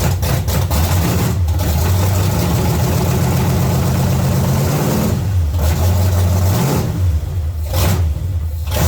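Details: 1970 Chevy C10, small block 305 V8, after intake and carburetor change: uneven, lumpy idle that stumbles and surges as idle is adjusted, transmission possibly in gear; misfire from a broken distributor cap center button.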